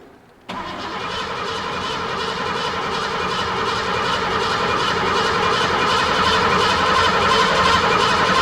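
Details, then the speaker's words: 1986 Ford F-150 5.0 L cranking with starting fluid sprayed in: starter churns at nearly four compression beats a second, engine trying but never catching; crank, no start, clogged air filter suspected. "it kind of wants to start right"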